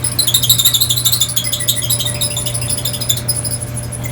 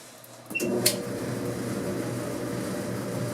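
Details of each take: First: Dryer running on air fluff with heating coils off: high chirping squeaks about three times a second over a low constant tone. The higher squeak is thought to be a rear drum support wheel; the lower tone the belt tensioner wheel. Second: Clothes dryer after squeak repair (drum guide wheels and belt tensioner checked), reassembled: soft steady hum with airflow, no squeak, squeal or thump; drum turning quietly, normal running.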